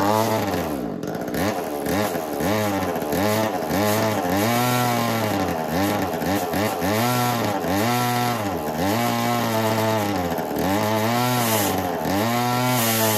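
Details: Echo CS-3000 chainsaw, long-neglected estate-sale saw, driving an 80s Versa Tools drill attachment: engine rises and sags roughly once a second, speed never holding under load; clutch slipping and overheating, owner suspects smoked clutch.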